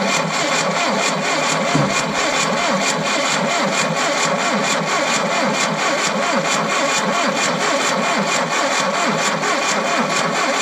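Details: Tata Sumo diesel, abandoned Kerala Police vehicle, after cold start on 12 V battery hookup: steady diesel clatter settling into an even idle, no misses or knocks; running healthily.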